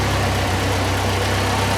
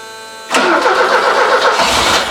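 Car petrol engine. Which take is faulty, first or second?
first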